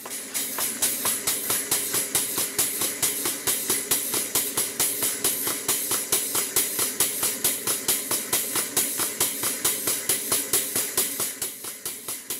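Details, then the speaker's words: Southworth 12-inch vertical steam boiler feed pump running on steam in workshop, just started working after shuttle piston pushed to bottom of stroke: even chuffs about two per second over constant loud hiss; steam leaking from bottom gland of steam cylinder, called an easy fix. "can clearly see there's a lot of steam coming from the bottom run on the steam cylinder that's an easy fix"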